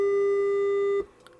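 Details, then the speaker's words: Harman Kardon PM665 amplifier after removing a solder bridge that was grounding out: clean steady test tone for about a second, matching the good channel; problem solved. "They're both the same. Problem solved."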